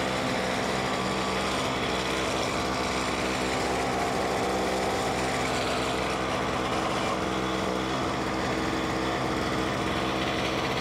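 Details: Simplicity 520 single-stage snowblower (5 hp, 20 in), first start on choke after electric starter repair, auger engaged: constant buzzy engine note holding pitch, smooth, no surging or dropouts; normal running.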